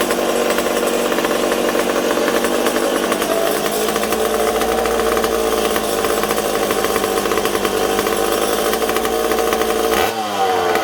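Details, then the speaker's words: McCulloch Super Pro 70 chainsaw with a suspected intake air leak. A high, buzzy two-stroke whine surges and wanders instead of holding steady, and the owner wonders whether the petcock is leaking. Erratic running. "wow you guys hear how it's kind of all over the place i almost wonder if this peacock's leaking"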